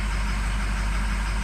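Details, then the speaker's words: Diesel pickup truck cold start at 68°F with ICP okay. Deep, lumpy, uneven idle with cylinders one, three and five dropping out due to dead injectors, judged a total injector replacement: diesel misfire from failed injectors. "well look at number five dropping one three and five those are so bad to on something like this when we got three of them that are that dead"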